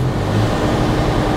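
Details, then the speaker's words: Ford Fiesta Mk7 1.25 Zetec salvage car, in neutral, no throttle: uneven, lumpy, misfiring idle that revs itself, clearing when revved; owner suspects a vacuum leak from a damaged inlet manifold, not confirmed. "so yeah i've got a problem so yeah it's it's miss it's missing a bit and it's running rough it's revving itself so it's a vacuum leak"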